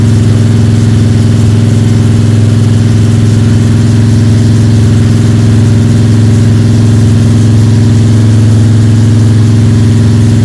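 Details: Freshly built Ford 302 Cleveland V8 with Holley Sniper and new electronic distributor, first start, high idle (~10–15 min), timing thought to be around 31°: steady, deep, even drone, no ticking or rattling; engine sounds sweet, normal high idle.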